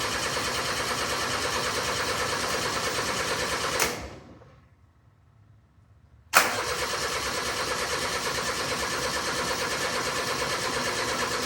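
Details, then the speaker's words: Steiner 230 tractor with Kubota gas engine, neglected bargain unit, electric fuel pump on, choke applied: starter churns in two long sluggish bursts, never catches; battery sounds low, charger added next; slow cranking, no start. "Okay. So, it's not turning over or it's not starting. So, uh the battery does sound like it's getting a little bit low."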